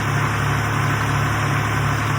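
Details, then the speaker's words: 1962 Fordson Super Dexta diesel tractor, revived after 25 years sitting, once the fuel lines were bled and pumped: steady, even low diesel chug at idle with no misses or knocks; it now runs smoothly. "After some tweaking and some pumping, eventually we got her going."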